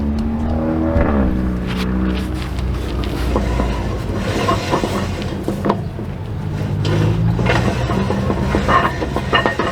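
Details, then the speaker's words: Vintage RV raised and wheel spun after knocking from the brakes: irregular scraping and clunking rising and falling with rotation; broken brake drum. "That's a lot of noise. That sounds like brakes."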